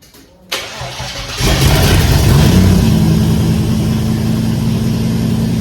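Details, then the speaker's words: VK Commodore 5.0 V8 conversion, first start after sorting electrical faults (spark and fuel): catches after a brief crank into a harsh, very loud raw idle with deep rumble, running with no exhaust fitted at the back. "I wonder how that sounded on camera because it's bloody loud in here bloody loud but we have a running conversion"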